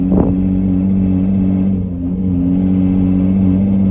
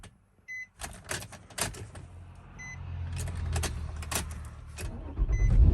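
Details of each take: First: 2006 Nissan Murano SL 3.5L, new battery, warmed up, weak acceleration and limp mode, pulling onto main road: heavy low droning hum, engine strained and bogging instead of revving; owner wonders timing chain guides or exhaust, unconfirmed. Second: 2006 Nissan Murano SL 3.5L, limp mode and weak acceleration, first start after battery replacement following starting issues: a few clicks and chimes, brief crank, engine catches straight away into a steady low idle; healthy start.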